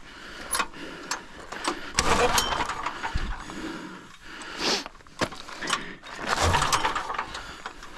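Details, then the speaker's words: Pull-start generator with faulty recoil starter: each pull gives loose clattering and ratcheting, engine nearly catches; the starter assembly kicks off its mount, very loose; owner wonders about carburetor too. "Man, anytime I try to start it, this kicks off of there. So loose."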